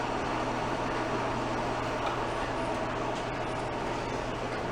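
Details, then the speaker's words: Antique metal-cutting band saw from estate sale, first power-up after move: steady low hum with even whir, no knocks or rattles; runs slow and smooth, good for metal, sounds healthy. "Nice and slow. That's good for metal. That's smooth. Yeah."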